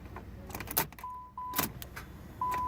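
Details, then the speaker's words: Keys jingle and the dash chime sounds, then one sharp click with no cranking or start on a towed-in car that has good healthy battery power. Starter fault suspected but not confirmed. "Just a click. I hear the starter clicking. Y'all remember that last starter diagnostic we did on that, what was that, a Jeep Cherokee? It just clicks. It's the same sound this is making."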